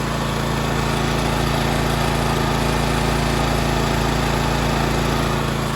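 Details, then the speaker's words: Honda EX1000 1,000-watt generator carrying a 250 W light (about quarter load) after carburetor cleaning, main jet opened another half turn; steady even drone, no hunting or surging, frequency needle between 50 and 60 Hz, governor holding speed properly. "The white lines are right in between the 50 and 60 hertz. I believe that's how that's supposed to operate. Seems like it's idling just fine."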